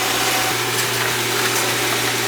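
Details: Oil burner firing after service (transformer replaced, filter vacuumed), blower fan not yet kicked in: a steady, even roar with a low constant hum underneath, no sputter or pulsing; burner lit and running normally.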